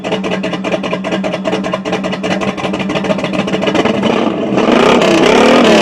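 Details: Chevy 350 V8 thumping at a lumpy, slightly uneven beat of about four pulses a second before revving up; possible misfire suspected.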